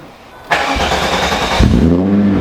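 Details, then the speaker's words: VW Mk3 first start after installing Autotech 262 cams, new spark plugs and a VR6 throttle cable, no matching chip yet: short crank, then catches cleanly and settles into a smooth, even idle that holds steady; healthy start. "Running nice and smooth on this side. Everything is nice and smooth back here."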